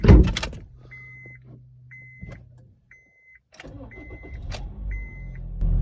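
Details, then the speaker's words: 2013 Honda Fit that rattled at about 1,000 rpm, worse cold and with AC on, after fitting a used replacement belt and cleaning the crank pulley: steady quiet idle in drive with no rattle, a dashboard chime beeping once a second. "now. So, no rattle. No rattle. So, shift it into drive. No rattle."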